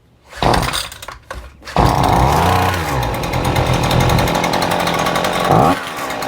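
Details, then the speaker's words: New Husqvarna 130C two-stroke gas trimmer, first start using primer bulb and choke, started on about the third pull: rough pull-start bursts, then a steady, even buzz; normal running after cold start. "well sounds good feels good runs good now we'll go out and uh do some cutting with it"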